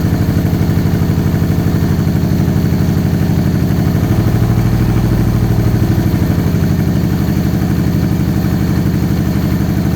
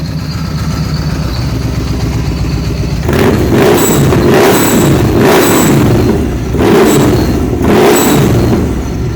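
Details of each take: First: Supercharged 2013 Victory Cross Country V-twin, first start after sitting over a year: a lopsided, loping idle with uneven pulses, running on one cylinder. A damaged front plug wire was not making contact and fouled the front plug; the wire was replaced. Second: 2013 Victory Cross Country supercharged V-twin, running after new plugs, coil and a temporary front plug wire; hard to start when cold: repeated throttle blips, each with a thin high whistle from the supercharger blow-off valve on that side, which is normal.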